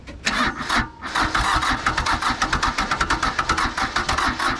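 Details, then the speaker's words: Nissan (Hanix) N300 mini excavator diesel, water previously found in the engine and now removed: fast rhythmic cranking with a few uneven catches, nearly firing, then dies back; won't start. Cause unknown; owner suspects possibly many faults. "well it was trying to do something oh really falling over um it nearly fired up"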